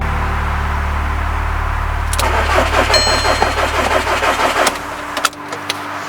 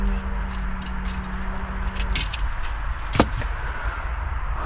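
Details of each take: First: VW Caddy with swapped 2.0 TDI CR140 engine and DSG, first start attempt, secondary fuel pump fuel line disconnected and low on diesel: steady starter churn at about three beats a second, never fires; crank no start, fuel suspected. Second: VW Caddy with swapped-in 2.0 CR140 diesel and DSG, first start after swap, foot on brake, secondary fuel pump tapped in: starter hum cuts out, then low even diesel rumble with a few bangs. Engine started, normal diesel running.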